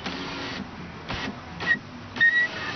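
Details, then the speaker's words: 2000 Oldsmobile Bravada (Blazer/Jimmy) rear door window motor after rebuild, reinstalled with two 1¼-inch bolts and locking nuts in place of rivets: short bursts of clean, even whir stopping cleanly, no grinding or stalling; window works properly. "these two bolts are in here and now it works it goes up and"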